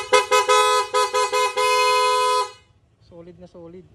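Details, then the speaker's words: Honda Click 150i scooter after full clean rewiring with Denso relays, fixing flickering lights and battery drain; dual horn replacing old poor-sounding stock horn: loud, clean dual-tone short toots then a long steady blast, horn healthy. "solid. Naka dual horn din mga sir."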